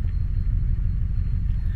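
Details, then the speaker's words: 2004 Chevrolet Trailblazer 4.2 engine, barely started on a weak battery; heavy low rumble at idle that shakes and lopes unevenly, a strong misfire yet scanner shows no misfire counts or codes except an IAT code from a disconnected sensor; cause unknown. "Ok, curioso, no me está marcando ninguno, aunque en realidad está bien fallón en el vehículo."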